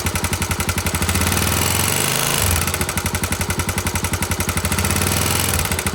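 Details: Honda GB250 Clubman, 40,000 km, single-cylinder: sharp rapid knocks about four a second riding on the engine's thump and keeping pace with it; abnormal engine noise, cause unknown.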